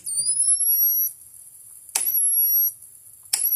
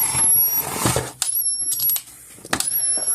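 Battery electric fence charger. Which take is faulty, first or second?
second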